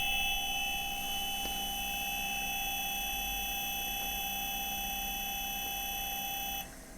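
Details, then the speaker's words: Commander C200 variable speed drive running a rotating autotune on a 4-pole 0.18 kW induction motor at 2/3 rated frequency: steady high whine with a few pure tones for about six seconds, growing quieter then cutting off; normal autotune. "can hear it getting quieter there towards the end so that's done the autot tune now"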